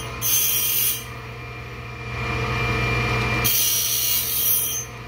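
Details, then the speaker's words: Cook's cat claw bandsaw blade sharpener, stone fed slowly through the tooth and gullet for a full sweep: two smooth, even grinding passes about three seconds apart over a steady motor hum. Normal grinding sweep. "that sounded pretty good that sound like a good sweet"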